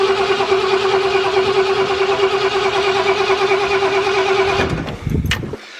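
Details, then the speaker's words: Camper sitting about two months, 12 V jump start, without starting fluid after manifold job: starter cranks steadily about seventy pulses a minute for four seconds, never fires; cause unconfirmed, starting fluid to be tried. "let me try starting one more time without it come on baby i'm gonna go smell some fuel come on come on fire girl so close she's trying"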